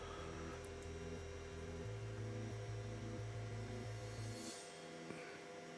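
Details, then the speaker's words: Ender 3 Pro 3D printer being converted to EnderWire with new MCU board: small cooling fan runs with a loud, steady whirring hum and shifting low tones underneath, terribly noisy. "the fan is terrible it's so noisy I don't know if you can hear it you probably can hear it it's it's terrible"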